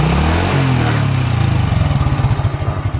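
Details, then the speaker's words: 28-year-old Honda Astrea collector motorcycle, cam chain never replaced, throttle blipped: revs drop cleanly from a strong pull to a regular, even putter near ten beats a second, no knocks or rattles; still smooth, healthy engine. "suara mesinnya begitu kurang lebih, masih halus lah."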